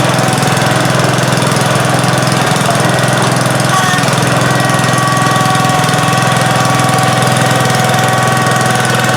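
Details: 1971 John Deere 140H3, Kohler K321 single-cylinder, after carburetor rebuild and new float fixed fuel pouring from carb: steady, even beat at fast idle, no misses or surging; normal running.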